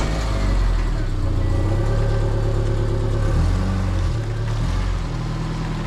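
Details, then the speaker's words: 2003 Subaru Legacy Wagon after leaking exhaust was patched with J-B Weld wrap, exhaust wrap and baling wire: catches and settles into a steady low idle with a brief rev, no puffing or rasp; formerly very loud, now quiet; normal exhaust at idle. "Before it was super loud. It sounded like an STI. Now it's nice and quiet. I can barely hear it."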